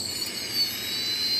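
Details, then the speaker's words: F-22 profile RC plane brushless motor on a previously doubted ESC, run after reprogramming: a clean, steady high-pitched whine with no stutter; the ESC is fine and the earlier settings were just out of range. "She's running it just fine, guys. So what that tells me is that this ESC is actually okay, and the programming, we were just out of range enough."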